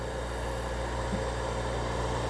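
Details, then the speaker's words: Ampex VR-7500 video recorder scanner after repair with a new scanner motor, new scanner bearings and all electrolytic capacitors replaced: only a low, steady, even hum with no rubbing, scraping, dragging or bearing whine. The scanner runs extremely quiet, as it should. "Can't even hear anything coming out of this thing. I mean, this is what it's supposed to sound like. No noise. It's just quiet."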